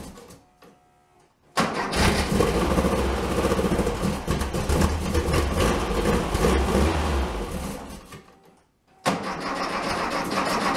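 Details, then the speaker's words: 1967 VW Bug, big-bore 2387cc, ~15°F, after distributor cap replaced for weak spark: several seconds of steady rapid cranking, never fires, cranks again; both carbs spraying, owner guesses flooded with too much gas. "I flooded it out with too much gas, is my guess. Both of them are still spraying. It's not dumping fuel anywhere."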